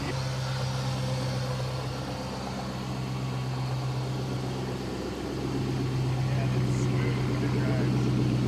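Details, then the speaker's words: Flood-damaged auction 2007 Chrysler 300 SRT8 Hemi V8, first start after repairs: smooth steady low idle with even pulse, no Hemi tick or tap from the top end; fired right up and idles cleanly. "It sounds great. No Hemi tick at all. That sounds great, man. It is smooth. That is awesome."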